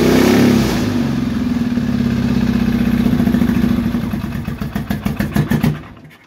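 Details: Triumph T140E Bonneville 750 twin, converted to T140V style, running after fitting an electric starter kit: fires, revs up cleanly, then the beat slows into separate pulses and winds down to a stop; normal running.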